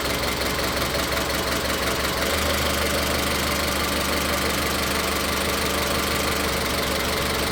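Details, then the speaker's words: Car with individual ignition coils, being tested for misfire, showing an uneven, lumpy idle with an irregular stumble every few beats during a coil-connector power balance test; the misfire was later traced to cylinder three. "en este vehículo que, como lo menciono, si tiene falla de encendido y aquí lo vamos a ver claro."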